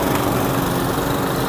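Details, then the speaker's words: Old Briggs & Stratton Classic mower engine from a spares-or-repairs job lot, primed and started: fires straight up, fast even buzzing beat with steady pitch and no misfires; running cleanly. "Fire straight up. Four out of four."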